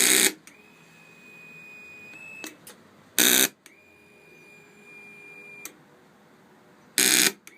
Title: Honda 919 solenoid buzzing sound